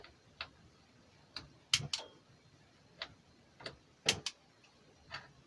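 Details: Motorhome kitchen hob gas igniter sparking: sharp, dry clicks every second or two with little else underneath, burner not yet lit; hobs later confirmed working.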